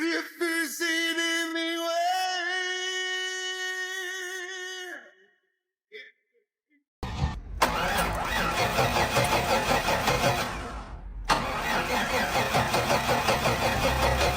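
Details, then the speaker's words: 32-year-old Cadillac Fleetwood with 5.7 L V8, long unused, after new battery and starter motor repair: brisk, even cranking with strong regular compression pulses and no dragging or clicking; compression sounds very strong. Normal fast cranking. "As you can see, the engine can crank over rapidly now. And judging by the sound, compression feels very strong."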